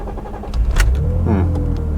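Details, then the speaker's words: Cheap used BMW Z3 petrol engine starting: starter turns over a moment longer than it should before catching and revving up, then runs smoothly; cause of slow start unclear, accelerator pedal also feels very stiff. "took a little little bit longer than I would have liked to start but straight away you can't beat BMW engines in my opinion it's nice and smooth"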